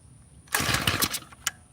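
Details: Tiller on choke during carburetor mixture-screw adjustment: silence, then a half-second ragged burst that sputters and dies. A small engine trying to catch; more throttle later helped it run.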